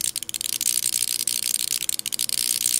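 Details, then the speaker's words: High voltage from a neon sign transformer applied to a digital multimeter at about 2000–2800 volts: sharp, rapid, irregular hissing crackle as the voltage flashes over across the meter's selector switch contact. "oh I can hear it yeah I can't see where it's it's definitely sizzling"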